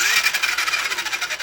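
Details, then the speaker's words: Rear-wheel-drive toy RC car, switched on with its remote: high buzzy whine from the small motor and gearbox, pulsing slightly as it runs; no grinding or clicking, just normal drivetrain noise. "And that's the sound, I'm sure familiar to many of you, of the gearbox and the motor."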